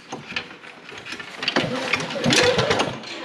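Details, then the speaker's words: Non-running Toro snowblower with Briggs & Stratton R-Tek engine: uneven pulls about three a second, rattling and whooshing but never firing; cranks without starting, owner suspects no spark. "Yeah, I don't think we've got Spark."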